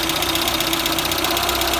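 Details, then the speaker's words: Citroën BX 14 TGE idling after repair of the hydraulic pressure regulator (conjoncteur-disjoncteur) leak: sharp clacks repeat about eight times a second, water-hammer in the circuits; the main sphere is suspected, cause not confirmed. "par contre les claquements qu'on entend bah là c'est la sphère principale qui doit être"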